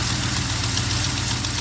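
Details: V8 with EFI idling after replacing a failed MSD Blaster coil with an MSD HVC II coil: steady, even lope with a firm low rumble, no skips or rattles; ignition firing cleanly, EFI still needs tuning.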